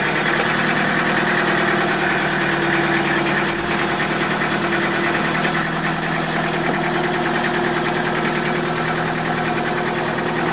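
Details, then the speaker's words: Commodore-area 1981 Toyota diesel: harsh, loud clatter at idle, about three hard knocks a second over a rough, shaky idle; owner suspects bad biofuel with too-low flash point detonating, possibly damaged pump, not confirmed. "this stuff's detonating instead of combusting and that's why the engine sounds like it's going to blow itself to Pieces"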